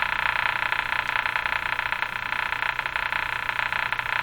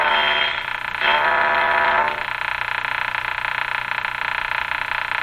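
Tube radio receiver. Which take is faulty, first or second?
first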